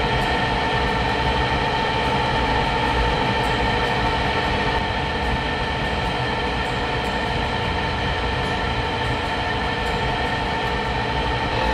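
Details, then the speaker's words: Rheem water heater vent blower motor starts quietly, then after a minute ramps up to a loud rough constant whirring roar with whistling tones from a worn bearing; noisier over weeks, replaced preemptively. "listen for the transition the bearing noise is about to ramp up here do you hear that"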